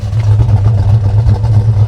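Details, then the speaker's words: 1968 Ford Mustang Fastback GT, 302 V8 stroked with performance cam, 4-speed manual: deep loping rumble with choppy uneven beat at idle; healthy V8 with aggressive cam. "Good rumble. It's got a nice cam in it. It's stroked out good."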